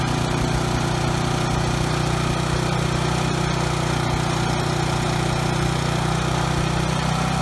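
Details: Briggs & Stratton generator engine after carburetor cleaning and tab bent to raise no-load speed toward 61 Hz: steady, even constant-speed drone, no stutter or surging at no load; earlier stutter resolved, running smoothly.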